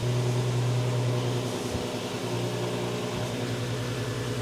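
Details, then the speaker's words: VW Passat R36 after new timing chain and flywheel, first start in a week: catches and settles into a steady, even idle with no misses, knocks or ticking; no leaks, no engine management light, timing chain seems okay; normal idle. "got no leaks on the floor we've got no engine management light as well so Tim and chain seems to be still okay"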